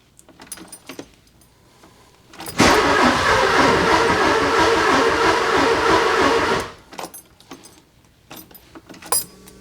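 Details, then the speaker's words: 944 project car with spark plugs in and fuel primed. The starter churns at about four beats a second for four seconds with no firing: crank-no-start. The owner suspects no gas is reaching the engine; the no-start was later confirmed as bad gas. "You know, I'm going back to the original thought of this thing ain't got no gas in it. You know, when I primed it and I I fired it up without the spark plugs in, like the fuel was coming. It just kind of puffed a little. I don't think it's got gas."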